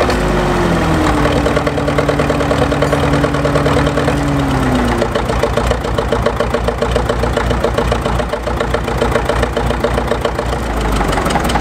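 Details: Caterpillar D4 7U dozer with HT4 Traxcavator loader, first start after many years in a pasture and a new starter and solenoid: falling starting tone gives way to a steady, slightly uneven diesel beat around two per second; runs normally.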